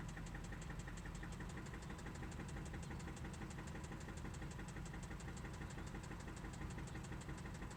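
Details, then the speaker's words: 2003 Toyota Celica GT manual petrol engine at idle on start-up with steady sharp knock about three a second; quiet when cold, much worse when hot. "Here is a 2003 Celica GT manual with an engine knock."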